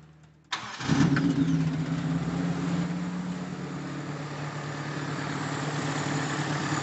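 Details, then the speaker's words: Feroza carbureted engine using too much fuel with black plugs: starts after brief crank into slightly lumpy idle set a bit too high; running rich from wrong carburetor setup and misrouted vacuum hoses. "secara umum untuk putaran mesin terdengar enak dari putaran bawah dari stasioner juga enak cuma kebesaran dikit kegedean untuk stasionernya"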